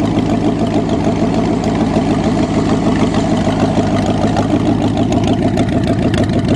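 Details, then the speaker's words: Cheviac engine restarted after replacing two black, wet, fouled spark plugs, running on its own without bottle fuel or throttle: steady, even idle with smooth low rumble, no misfire or stumble. "Now we're gonna fire it up again and see how smooth she runs. All by itself, not on the bottle or anything."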